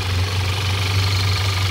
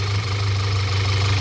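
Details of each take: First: 2014 Audi A4 2.0 turbo petrol engine idling smoothly with no hiss or irregular beat after a part and hoses were replaced to fix a misfire and system too lean code P0171; the problem is gone. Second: 2014 Audi A4 2.0 turbo petrol idling with a heavy low drone, shaking and audible air sucking; the PCV valve is stuck open, a vacuum leak causing a lean condition (P0171) and misfire; the valve needs replacing.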